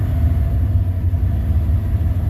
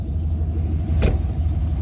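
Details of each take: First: Cold engine idles with a deep, uneven, surging rumble; smooths out once warmed up; owner says it needs the intake off. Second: I told you once it gets warmed up a little bit, it runs a lot better.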